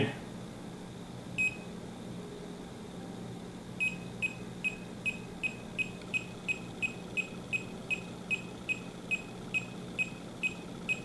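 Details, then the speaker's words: Refrigerant leak detector comparison (Fieldpiece SRL8, Testo 316-3, Bacharach Informant 2) on reference leaks: sharp steady beeping ticks two to three per second as a detector picks up refrigerant at about a quarter inch from the leak. "if you just listen to this ticking that was about a quarter of an inch"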